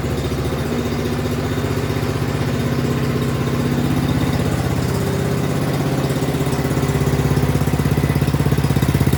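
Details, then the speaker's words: Even, steady single-cylinder putter, a little over three beats a second, no misses or surging, from a Craftsman snowblower that wouldn't start, now running great after a new carburetor and fuel line; healthy idle. "okay it's running great now"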